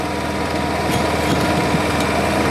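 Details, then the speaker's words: Honda 7k generator, warm, powering a Miller 212 MIG welder around speed six (between 14 gauge and 1/8 inch): steady, even drone with no surging, misses or knocks under welding load; making good power. "it's warm so it's actually making good power"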